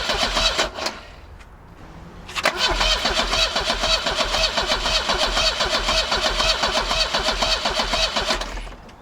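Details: 1984 Volvo 245 with no spark, after a new distributor and a newly replaced ignition module; a fuel pump is also believed not working. Starter churns steadily for about six seconds, never catching. Cranks, no start.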